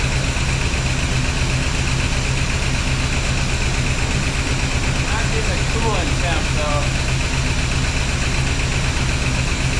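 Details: 1976 Pontiac Firebird Esprit 350 V8 running after reseal, after adding more ATF, run through the gears; steady, even idle, smooth low rumble, no knocks or misses; oil pressure strong.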